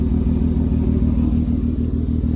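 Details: Saturn Vue on jack stands, one front wheel spinning under engine power and revved: steady low drone with even throbbing under the engine, heard even at low speeds; worn front wheel bearing.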